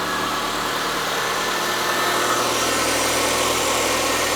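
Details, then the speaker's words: 2006 Mitsubishi Lancer ES left in a storage unit about 4 years with five-year-old gas, first start: even idle with a steady hiss on top, no ticking, knocking or stumbling, holds speed nicely; sounds perfect. "this sounds perfect no tick nothing"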